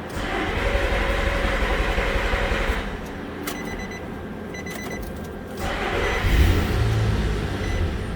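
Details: 2006 Nissan Pathfinder, ice-cold engine on battery charger: randomly stalls, then radiator cooling fan runs full blast for no reason, no service engine light with key on; runs briefly then dies, steady fan rush; cause intermittent ECM relay.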